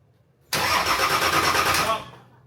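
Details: Nissan Patrol diesel just fitted with a new 270hp injection pump, intercooler and exhaust manifold, injectors cracked to bleed air: harsh starter churn about 1.5 s with no firing catching; cranks without starting, likely air in fuel.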